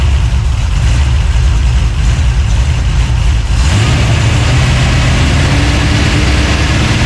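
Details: 383 stroker small-block V8, freshly built and swapped into a 1970 Monte Carlo, at first fire-up in the car: deep, lumpy idle, then revs rise and hold smoothly without misfires or knocks, pulling clean; normal free revving.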